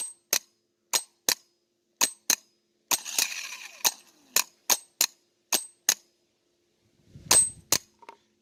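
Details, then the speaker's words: 2014 Infiniti QX80 5.6L removed old starter bench-tested on a jump box with a remote switch: sharp single clicks, only occasional short rough whirring bursts; engages intermittently, suspected worn-out starter, replaced. "so sometimes it wants to work sometimes it don't and it honestly just sounds uh terrible you know sounds like it's a worn out starter"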